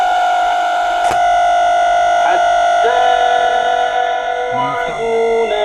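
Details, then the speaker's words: Sanyo radio cassette player with a dead tuning dial: a loud, steady high whistle of about 700 Hz drowns out the sound; traced to a faulty component on the board. "الصوت اللي احنا سمعناه صوت الزنا العالي جدا ده ممكن يكون بسبب مسطره احنا جوه موجوده على البورده المصريه او ممكن يكون بسبب اللي هي الميكروفون مفتوح على طول"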